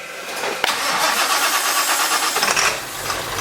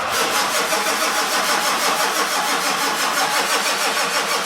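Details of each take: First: 1946 Ford running a diesel engine with glow plugs, in a cold shop at about 49°F, after earlier smoke and IDM relay chattering: brief crank, it catches almost at once and settles into a steady, even idle; a healthy start. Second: 1946 Ford truck with a turbo diesel at about 49°F, glow plugs cycled manually before cranking. Turbo wheel spins slightly; steady even cranking at about three compression beats a second, never firing: cranks but won't start, cause unconfirmed.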